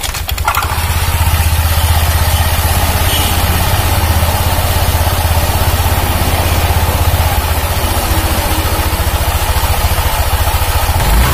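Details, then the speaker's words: 2019 Honda Vario 150 after CVT clutch-side repair for rough growling noise: idling with steady low beat, only a faint rattle left from the drive; much smoother than before, though a little noise remains. "Ya sudah agak halus ya tapi tetep ada bunyi Bos Dikit Joss cuman enggak ngongsrong kayak tadi ya"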